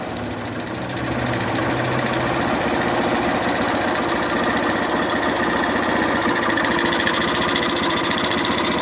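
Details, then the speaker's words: 2011 Honda Fan 125 motorcycle, reassembled after head and cylinder repair for noise from piston and cylinder wear caused by low oil: small single idles evenly with no knock or clatter; engine now quiet, normal idle. "Mas ó que o motor silencioso eu vou tampar o escapamento o motor silencioso"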